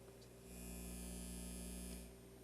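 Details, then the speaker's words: Newly built Elliott Sound Products phono preamp with turntable at 33 rpm: steady low mains hum and buzz; turntable ground lead had popped out and power was initially off. "well it helps to turn the power on and my ground popped out for one thing"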